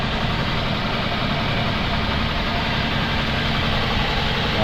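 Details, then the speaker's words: 2002 Toyota Altis with strong engine vibration and overheating, four new spark plugs fitted, battery jumped because it was flat, injectors spraying: idle is lumpy and shaking instead of smooth; ignition coils suspected, not confirmed. "Ayan kung mapapansin niyo yung nginig niung makina Ayan mga idol pati yung host ' ba sobrang vibration yan"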